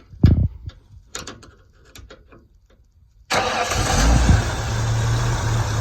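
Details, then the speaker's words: 1992-1998 OBS Ford truck with a no-crank fault, in neutral, with the starter relay jumped using metal: a few clicks, a short crank, then it fires straight into a steady idle, ruling out the battery and starter. "truck fires right [Music] up so from there we know it's not the battery it's not the starter"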